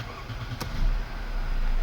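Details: Mercedes-Benz C180 (W204) that would not crank and showed no gear position; with the suspect plug disconnected, P now shows, and after a quick click the engine catches and settles into a low, even idle; clean start, pointing to a faulty EO pump.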